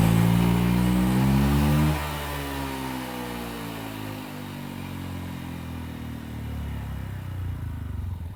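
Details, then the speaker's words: Honda Vario 150 LED (old model) with smoky exhaust and top speed limited to 100 km/h: rough, uneven running dropping to a lumpy idle. Cause is a worn head gasket letting coolant into the combustion chamber. "Nah, setelah dicek tadi, terlihat asap keluar dari knalpot dan terdengar suara mesin yang kasar."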